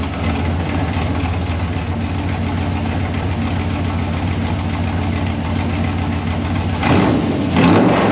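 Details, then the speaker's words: 1955 Chevy Nomad small-block Chevy with sheet-metal tunnel ram and dual Holley Sniper fuel injection: steady lumpy V8 idle about 3.5 beats a second, then quick clean revs; running properly. "let's hear it it revs fast"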